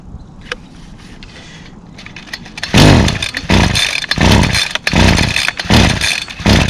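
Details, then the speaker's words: Two-stroke string trimmer whose primer won't prime, being pull-started: a few pulls and sputters, then uneven buzzy surges; runs briefly and unsteadily before faltering, possibly fuel starvation. "yeah it's not gonna start hurt prime it's trying centering it's got no primer it's still going"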